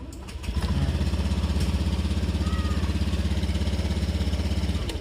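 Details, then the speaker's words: Motorcycle with MP one-way alarm started after saving the setting: starter catches at once and the small single settles into a steady, even putter at idle; starts normally. "Nah berarti kalau kita menggunakan fitur yang ini bisa langsung nyala."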